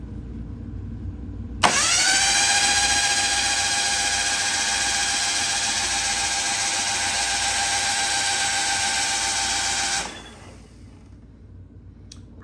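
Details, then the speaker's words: Mitsubishi Mirage 1.8L DOHC turbo engine priming crank with spark plugs out, after fixing a loose oil filter leak; even fast starter whir for about eight seconds, no firing, turbo spinning; normal priming crank. "turbo spinning with no spark plugs that is very promising huh this is going to be so good"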